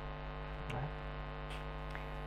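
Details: Lakoni Basic 123iX inverter welder at power-on test: constant low hum with no output or reaction, switch lamp lit; PTC hot, NTC warm, indicating a short; found to be a damaged IGBT.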